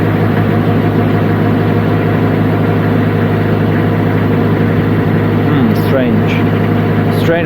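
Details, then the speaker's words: Niftylift HR21D Mk2 lift's small diesel engine, after a blown fuse (error 01009B05 under-voltage) fixed and glow plugs restored, started with starting spray; steady even idle clatter, runs smooth; normal idle. "but the engine is running nice now smooth no problems"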